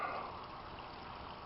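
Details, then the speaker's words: Homemade aquaponics grow bed from motor home water tank fed from goldfish pond, 1-inch drain to 3/4-inch pipe, inflow reduced by valves: soft steady trickle and gurgle, no surging; bell siphon now draining regularly; normal bell siphon operation. "now that the Bell is working regularly I got everything going"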